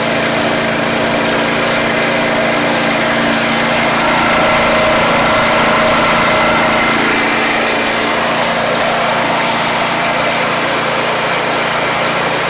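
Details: Troy-Bilt 2410 snow blower single-cylinder engine, in for no-start repair, running after repair with cowling left loose: steady, busy buzz with no misses or surging; runs smoothly and healthy.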